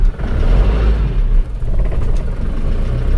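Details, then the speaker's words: Car with a freshly rebuilt engine, started in the morning after sitting two days: it catches at once into a deep, steady rumble and settles to an even idle; normal cold start and idle. "Hidupnya langsung cegreng ya ini."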